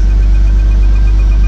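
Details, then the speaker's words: 2001 Porsche Boxster after replacing a noisy bad pulley bearing in the engine compartment: short steady idle with an even hum and no squeal or chirp from belt pulleys; normal, quiet idle after repair. "Should be quiet now. Like I said, it was the bearing. So we'll start her up, see what it sounds like. Oh yeah, that's nice."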